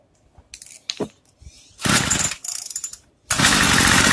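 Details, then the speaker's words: Craftsman two-stroke weed eater while the idle is being raised: bursts to a high buzz, then drops away and nearly dies between bursts, won't hold idle; suspected insufficient fuel. "Sounds like it's not getting enough fuel."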